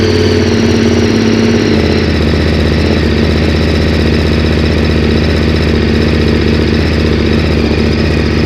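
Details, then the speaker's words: KTM 1190 after fuel pump repair (filter cup fixed instead of whole pump kit): firm, even idle with steady throbbing beat, previous squeaking gone; normal idle. "Moment of Truth sounds good didn't hear the squeaking"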